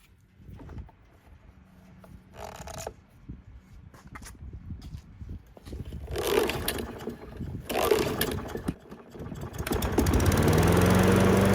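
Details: Trash-picked Toro Recycler 20377 self-propelled mower that would not start; after carburetor cleaning, air filter reinstalled and oil topped off: scraping and pull attempts, then it catches and settles into a steady, even, healthy run, though low on gas.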